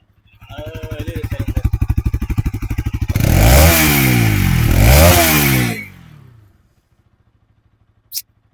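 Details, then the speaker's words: Bajaj Pulsar NS200 after battery replacement: single-cylinder steady idle then two sharp clean revs settling back; normal exhaust note. "ಒಂದ್ಸಲಿ NSದು exhaust sound ಕೇಳಿಸ್ಬಿಡೋಣ ಇರಿ, ಬೈಕೊಂಬೇಡಿ."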